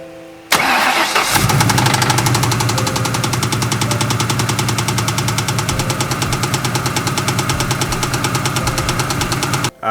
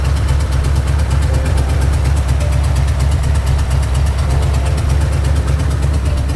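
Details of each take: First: Ford two-valve 4.6 V8 starting and settling into a loud, rapid metallic knock from a spun crankshaft bearing, before repair using crank and bearings from a junkyard engine. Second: Ford 4.6 liter V8 rebuilt from a knocking engine with used junkyard crank and bearings, reused rod and main bolts, first start on long tube headers, no radiator: loud deep steady idle, no knocking or ticking.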